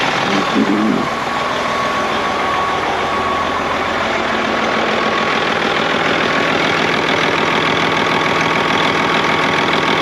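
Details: Freightliner FLD diesel truck started right up after sitting (spider webs everywhere). Steady, even, low-rumble idle with no knocks or misses. Normal healthy idle.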